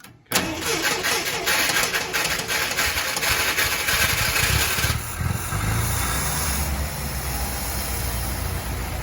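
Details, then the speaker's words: 1965 International Scout 80 original engine, not run for over 10 years, choke freed up: catches after a brief crank and settles into a steady, even run with no knocks or misses; normal running, purrs like a kitten. "sounds good nice and smooth [Music] fur's like a kitten all right purrs like a kitten"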